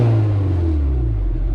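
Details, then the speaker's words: Fully built K24-swapped Honda S2000 after VTC solenoid rewiring restored cam command: deep even rumble sliding down smoothly as revs fall, no misses or ticking; fixed, engine revving normally. "That's fixed. It sounds good. It does. It does. It drives good too."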